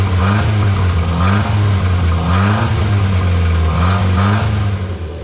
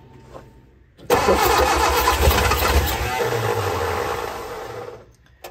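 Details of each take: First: Barn-find Austin Healey Sprite, previously seized engine freed and head refitted, first start on twin carbs with choke and jump pack: catches and runs, revs rising and falling with hand throttle, steady even beat; runs cleanly. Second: Barn-find Austin-Healey Sprite engine, formerly seized, freed, head refitted, both carb bowls filled, jump pack, choke held: the starter churns about four seconds with uneven firing pulses; the engine nearly catches but won't run on its own.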